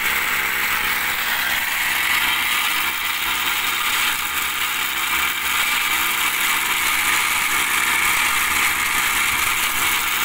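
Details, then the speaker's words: Small TU26 engine driving a homemade 3-inch axial/blower water pump, throttle not yet raised: rough gritty grinding with faint high whistle as dirt gets in and partly clogs the filter, debris at the impeller. "Ada kotoran masuk, jadi agak tersumbat karena agak pakai filter ya. Coba, ada kotoran, suaranya tuh."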